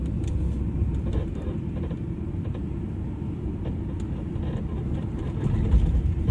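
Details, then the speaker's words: 15-year-old Audi A8, driving: irregular dull knocks through low road rumble from the right front chassis, caused by two worn lower control arm ball joints with play; fixed by replacing both control arms. "第一个异响大家都看到了，是底盘右前方有两个下支臂那个球头磨损了旷了，然后就会产生异响，然后换两个摆臂这个异响就搞定了。"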